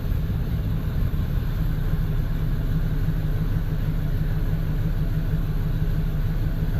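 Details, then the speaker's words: V8 with code P0300 and no power: deep, uneven idle with stumbling pulses, a misfire that the scan tool shows is on bank one. Fuel pressure and injector balance tested good; ignition still to be tested. "I'm a scan tool it shows all eight cylinders start it up it feels like it's from all of them"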